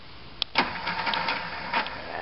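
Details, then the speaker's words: Boat engine on a 6°C day, new ignition part fitted after running on 3 of 6 cylinders: primer clicks, then uneven cranking bursts that never catch; cranks but won't start, owner suspects cold grease. "It's cold today. What's going on? She's cold. Why is she doing that?"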